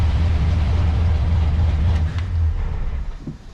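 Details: C4 Corvette V8 on a dyno with a Holley Terminator X and nitrous: uneven loping about four pulses a second, stumbling. Runs rich: the Holley O2 reads 13.8 while the dyno meter reads 10.2, with huge positive closed-loop corrections. Faulty O2 sensor.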